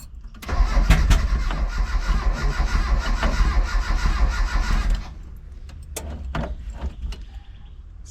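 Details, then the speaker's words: Mitsubishi L200 with EFI conversion, trying to start on a humid day: long cranking bursts with uneven coughs and splutters that never catch, suggesting some fuel and spark reach it; cause unconfirmed; cranking with misfire, no start. "Not running. Just coughing and spluttering, which means I guess getting fuel and spark to a degree."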